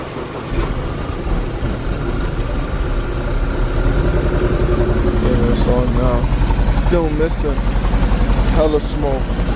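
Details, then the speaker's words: Audi A4 B8 TSI, jump-started: an uneven, stumbling, lumpy idle. It is still misfiring, with raw unburnt fuel and smoke coming out, blamed on a bad injector. "can smell the fuel yeah see it's wet fuel coming out too it's not being burnt all the way"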